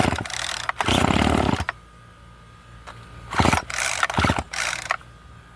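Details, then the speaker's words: Old Craftsman string trimmer that sat outside, weak-feeling compression, starting fluid in carburetor: a few rope pulls then short ragged bursts of running that die away; ignition works, fuel delivery faulty, hard kinked fuel lines. "excellent so the ignition system works so let's uh let's continue forward and take it apart"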